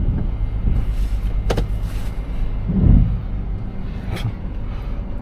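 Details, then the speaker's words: Car engine at normal idle while being loaded for towing; low, even hum under door and handling clunks, no knocking or misfire, runs good. "Oh, it runs good."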